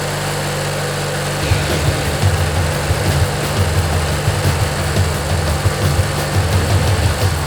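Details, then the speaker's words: Old Montgomery Ward/MTD riding mower, 16 hp Briggs & Stratton flathead opposed twin, after replacing the worn starter motor. Catches and settles into a steady, even low rumble, no knocks or misses; slight smoke expected to burn off. Runs normally. "yeah it runs real nice you can see it's kind of smoking a bit but it'll burn out i'm sure"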